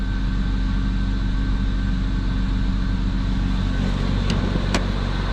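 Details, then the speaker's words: Cold start and idle of a 2004 BMW 325xi after fitting a replacement engine and the cracked valve cover swapped, car sat all day: starts right up, steady smooth idle with no knocks or misses, no warning lights; normal cold idle. "it's been sitting here all day so it's kind of cold but we can fire it up [Music] starts right up runs great no warning lights"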